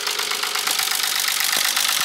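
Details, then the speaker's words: Nissan 300ZX Z32 naturally aspirated, manual, misfiring, near out of fuel: rapid regular clatter of ticks at idle like a diesel tractor, knocking seemingly from middle of engine; cause unknown. "is the sound of the engine sounds like a diesel tractor and it's coming out with I think from here we're sounds like it's coming from the metalic tree looks like this knocking sound is coming from the middle"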